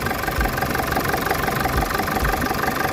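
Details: Nissan ZD30 3.0 diesel that would not start (no fuel delivery, failed electronic control box on back of injection pump), repaired: starts easily and settles into a steady, even clatter with no misses or stumbles, a healthy idle.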